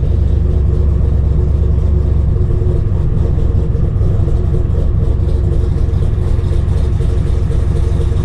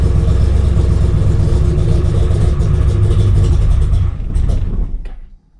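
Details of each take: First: RX-7 with 7.0L 427ci LSx V8 swap, cold after five months' storage, idling without throttle: deep loud idle with uneven rocking cam lope, steady, no knocks; big cam idling as it should. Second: RX-7 with 7.0L 427ci LSx V8 swap, first cold start after sitting five months over winter, no throttle: rumbles unevenly about four seconds, revs sag and it stalls; typical start-stall, restarted.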